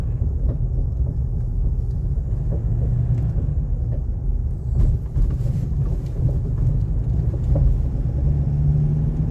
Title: navara d40 clunking noise